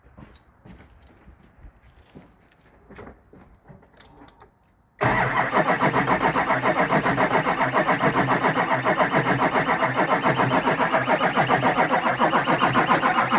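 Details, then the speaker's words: Rebuilt Duramax diesel truck with injectors and rails swapped; the fuel system is being hand-pumped to purge air up to the injectors. Steady even cranking at about 3.5 beats a second that never catches: air in the fuel, no start. "all right so we switched the injectors and the rails and all that stuff so the everything from the that pump that we're pumping all the way up to the injectors it's got to get fuel in it before it's going to crank"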